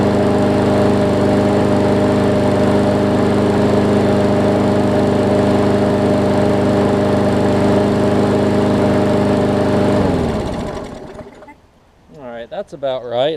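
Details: Newer Murray push mower, after shortening the governor spring: strong, steady drone at constant speed with no hunting or misses, then a clean shutdown, normal running, about right.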